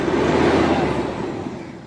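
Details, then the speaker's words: Mahindra Scorpio mHawk diesel after engine overhaul, block bore, blown head gasket and shorted ECU changed: brief rev with smooth even note, no knocks, rattles or ticking, healthy. "गाड़ी अल्हम्दुलिल्लाह एकदम okay हो चुकी है। चाचा गाड़ी race करो थोड़ा।"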